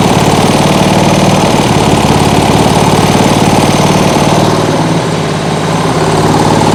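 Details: Small single-cylinder lawnmower engine on an outboard rig at full throttle on the governor: steady, even high-speed buzz with no misses or surging; starts easily, no kickback; running healthy.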